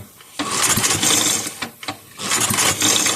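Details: 5 hp Briggs & Stratton engine from a Bolens 5 rototiller, freshly reassembled on the bench after briefly running: two long rattly pull-start cranks with no firing; compression seems reduced, a sheared flywheel key from kickback is suspected; failed start.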